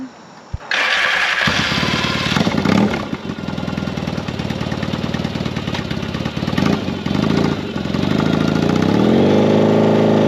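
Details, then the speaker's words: 1982 Yamaha XS650 Heritage Special, stored 3 years with a no-start, fixed with a DIY "Gonzo" TCI mod and a ground wire rerun from the old switch into the headlight harness; starts within a second, steady even twin idle; normal start and idle. "So we ran that out, pulled it out of the old switch and fished it through into the harness behind the headlight, and man, she's purring."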